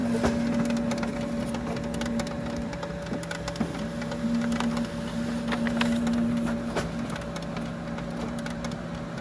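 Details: Ricoh C840DN laser printer running after cleaning the fuser thermopile sensor following an SC544-01 error: steady hum with uneven ticking about three a second from the fuser output; porcelain toner not fusing.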